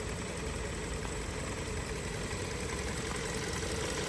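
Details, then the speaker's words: 2023 Hyundai Tucson at 23,000 miles, recorded inside the car, over 1,000 miles after adding Snake Oil additive: smooth, even low rumble at steady idle, no knocks, ticks or hunting; normal idle. "You can see how quiet the engine is. Hardly moving."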